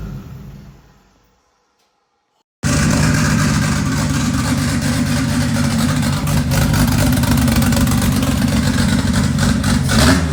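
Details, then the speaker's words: 2JZ-swapped Toyota Celica, first start after a three-year build: loud, rough, blubbery uneven revving with black smoke; running very rich because the fuel pressure regulator was accidentally set to about 75 instead of the intended 60. "there was a whole bunch of smoke and it was black and that cuz it was running stupid Rich uh the pressure regulator was actually set to like 75 on accident"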